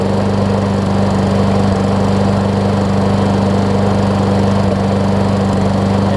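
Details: Toro Recycler self-propel push mower, Tecumseh engine after replacing the whole carburetor and rear wheels: steady, even drone at constant speed with no surging, hunting or misses; runs smoothly and healthy.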